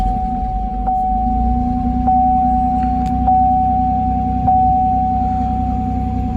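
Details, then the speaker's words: 2006 Chevy Equinox just after replacing the cracked, apparently original spark plugs: an even, steady idle with a smooth low hum and a faint constant whine, no misses or stumbles. It runs normally. "Well, it already sounds happier. I got the engine cover back on, and it's running how it should be."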